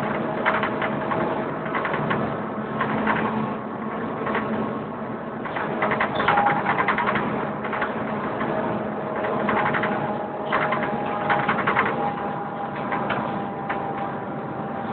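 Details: Wright Fusion bus on service, heard from aboard: engine running with fast, uneven mechanical ticking and steady tones over it; strange noise, unclear whether cooling fan or something else, doesn't sound normal.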